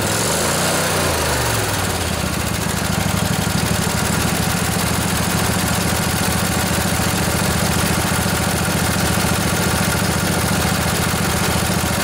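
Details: Revived junkyard Briggs & Stratton Intek OHV twin, 20–22 hp, model 40777, from a Husqvarna riding mower, with a new carburetor: catches after a brief crank and settles into a smooth, steady idle with an even beat, no knocks or misses.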